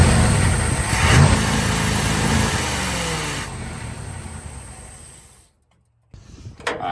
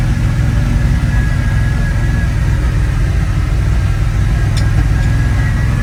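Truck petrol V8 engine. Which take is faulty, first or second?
first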